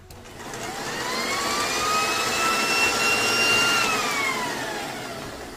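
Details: Electrolux floor polisher spins up with a loud, high whining roar that climbs in pitch, holds, then winds down; abnormally loud running noise. Cause suspected, not confirmed.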